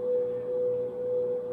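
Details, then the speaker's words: Victron MultiPlus-II 48V 5kVA 120V inverters carrying just under 5 kW (water heater plus house): steady, even mid-pitched hum with a faint fan rush, no buzzing or crackle. Lightly running fans seem louder than at full speed. Normal hum under load. "the fan is running lightly when the fan opens up it gets quieter so in these lighter loads when the fan kicks on you hear that one wow wow it's actually louder than when the fans were running full bore"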